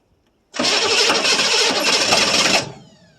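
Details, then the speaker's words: 1982 Chevrolet Silverado K10 4x4 with a 6.2 L diesel, sitting about 22 years, new batteries, first cold start. It catches with a loud rough burst for about two seconds, then dies; a steady fuel supply is suspected to be lacking. "Let's try it and take a do something. It ran a little bit. Yep."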